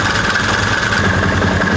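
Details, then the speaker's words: Can-Am Commander side-by-side, jacked up at angle to bleed coolant: steady even idle with busy mechanical clatter, no knocks or misses; engine sounds good, slight clicking from primary clutch. "Engine sounds really good, actually."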